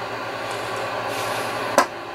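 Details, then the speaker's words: Vintage Yaesu FTDX-560 receiver set to 25 kHz: only a flat steady hiss and one click, with no receive at all. Turning the preselector makes no difference to the noise. "We'll put it on 25 kilohertz. And we have nothing. No receive whatsoever."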